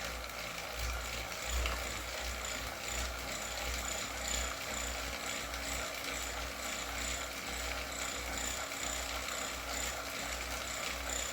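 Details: Wahoo KICKR CORE trainer with Zwift Ride on a rocker plate, pedalled faster (about 90 cadence, 170 W): a steady whir with faint, irregular clicks every couple of seconds. The issue seems to be a known one, and the unit was replaced with a KICKR CORE 2.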